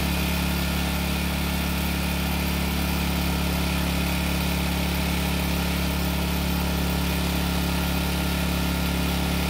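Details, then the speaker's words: Long-stored Generac generator after the carb was sorted, carrying a light space-heater load: a steady, even drone with a firm low hum and no misses or surging; running healthy. "now I have to admit it but I didn't put that much of a load on the generator however I just needed to make sure that it still works which it seems to be"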